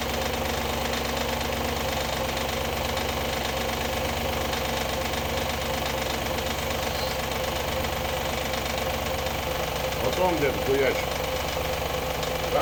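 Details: Audi A8 D2 with the ABZ 4.2 engine at idle, drive belt removed for diagnosis: a rapid, uneven metallic knock from the front of the engine. The whole front timing cover was loose with a bolt missing from earlier work; refitted with thread sealant.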